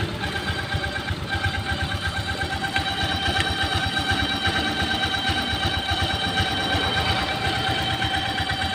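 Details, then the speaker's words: Honda Vario 125 scooter idling with the front CVT pulley removed: a dry whirring whine persists over the engine beat, so it is not the CVT. It comes from the water pump behind the cover, a worn water pump bearing. "nah nah guys nih sudah saya buka cover binnya ya nih bunyinya ini dari sini ya dari full pumnya"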